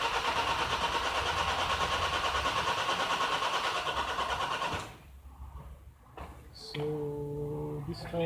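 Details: 2011 Nissan X-Trail common-rail diesel (dCi) with a hard-start complaint: a long crank at about three beats a second that never catches. Rail pressure builds to about 101 bar during cranking, yet the engine does not start. Cause suspected, not confirmed.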